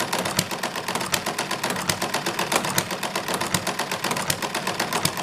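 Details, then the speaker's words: Hit-and-miss engine with 0.75 in diameter x 0.100 in thick weights added to governor counterweights: sharp regular valve-gear clacks, firing only now and then with long miss cycles; governing at slower speed, mechanism noisy. "again it has slowed the engine down I'm getting a fairly protracted one of Misses for each hip there's got to be one of the noisiest engines that I've ever built but it's the hit and miss mechanism itself is like making all the noise"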